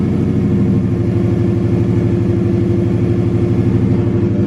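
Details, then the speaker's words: Subaru after replacing spark plugs and testing coil packs to cure a massive misfire and backfire, cold start with no air filter: steady even throb with no stumbles, running smoothly on all cylinders. "That sounds a lot smoother and a lot better."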